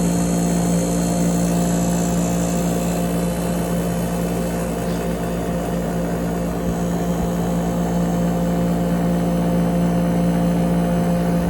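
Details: 8,000 BTU through-wall sleeve air conditioner, front cover off, evaporator coil exposed: compressor hum with a slow rise and fall in tone as it settles after start-up, surging easing off.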